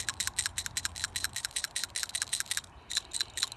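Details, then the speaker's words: 2004 Toyota Tundra PCV valve (21 mm hex), removed, cleaned out and shaken by hand: quick sharp metallic clicks about six a second from a free internal rattle. Owner unsure if this is normal and expected a spring-loaded valve. "Took off the PCV valve, and it's 21 millimeter hex. If you pull this up, cleaned it out, and that's what it sounds like."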